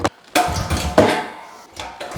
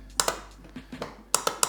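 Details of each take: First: 2004 Honda TRX 350 ATV pull-started with choke after the starter only clicked: a few pulls and coughs, then it catches and settles into a steady, even idle; starts and runs fine. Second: 2004 Honda TRX 350 ATV in neutral, start attempt: sharp dry clicks in pairs with no cranking, solenoid clicking but starter not turning; owner suspects the solenoid/starter circuit, unconfirmed.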